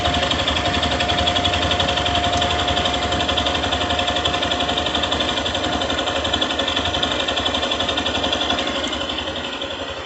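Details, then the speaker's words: 2022 Yamaha Fazer 150 with about 1,082 km, bought new: even idle with a light regular tick about four times a second; owner suspects injector noise, louder some days, source unconfirmed. "mas é um barulhinho de injeção que eu não sei se a tela"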